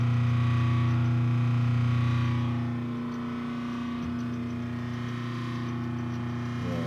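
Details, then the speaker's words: 1978 Kenmore 70 Series washer, new-old-stock motor run on power with nothing attached (as if the belt broke): a steady, smooth, even hum with a low drone. The motor itself sounds healthy. "but this is what the motor sounds like sounds perfectly healthy with nothing hooked to it so this is what sounds like if your belt broke"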